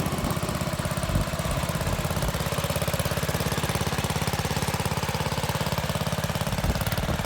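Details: Steady single-cylinder putter at about three and a half beats a second, even and unbroken; MTD lawn mower being built into an off-road mower runs normally after spark was restored.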